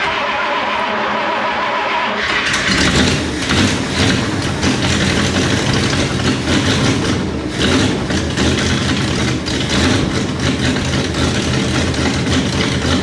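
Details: 1968 Jeep J3000 Gladiator, first start after fitting a used carburetor with working choke, electric fuel pump running: cranks briefly, catches, settles into loud uneven idle with hissy edge; owner suspects a massive vacuum leak.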